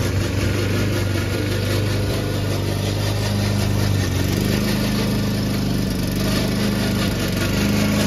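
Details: Old Toro Recycler mower cutting Kentucky bluegrass, binaural recording, before fix: steady engine drone under a rough, rattling clatter from the drive system; the noise was later solved with WD40.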